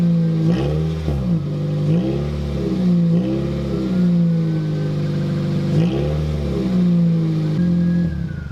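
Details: 2007 Toyota Corolla LE running with muffler removed before TRD muffler install: loud raw deep drone that swells and settles with small engine-speed blips; surprisingly sounds good with no muffler.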